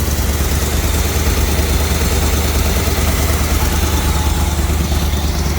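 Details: 1970 Chevrolet C20 350 V8, first start in 20 years, on clean fuel from a can, smoky: uneven, loping idle that keeps stumbling, one cylinder seemingly missing; cause unconfirmed.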